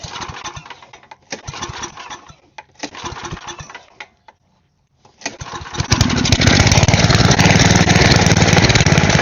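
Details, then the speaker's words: Small go-kart candidate engine after carburetor jet holes cleaned, carb cleaner in, no choke: coughs in short bursts then runs loud but uneven; spark plug possibly corroded or not fully seated suspected. Hard starting, rough running. "I do suppose I could check the spark plug just to make sure that that's cleaned and it's not all corroded and stuff on the end, because that could also be messing up the spark with it a little bit."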